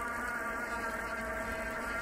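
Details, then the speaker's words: Jobobike Astra trekking e-bike climbing a hill at about 20 km/h on full assist at maximum power: a steady, high-pitched electric motor whine over faint tire noise. This is normal motor noise under load. "Le moteur est un peu bruillant quand même. Ça c'est pas le bruit des pneus, c'est le bruit du moteur."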